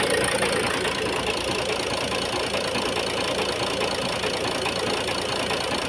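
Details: Ford Focus 1.8 TDCi diesel idling with steady clatter and an uneven shaky beat; rough idle with knocking, one injector possibly misfiring.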